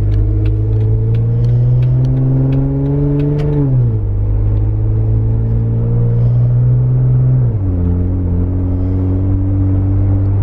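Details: Inside a Jeep Unlimited 4-door 3.6L V6 with a Magnaflow 15117 Competition Series exhaust, after a new tailgate: a deep exhaust drone rises and falls with throttle and gear changes; the cabin is quiet, with no rear rattle.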